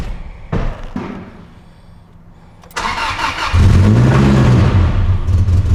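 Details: Truck's first start, fuel pump primed: cranks briefly, catches and climbs to a lumpy idle that hunts and stumbles. The cause was a missing vacuum line at the PCV. Lean rough running from vacuum leak.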